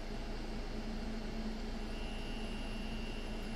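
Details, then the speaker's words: EXO clone tattoo machine on a power supply, first at around 5 V, here at 8–9 V: steady buzzing hum with a rough, gritty edge, noticeable vibration on the table; noisy cam, owner suspects a bad bearing. "at eight volts it's pretty noisy we have to nine at nine uh the vibration is noticeable you can hear it on the table"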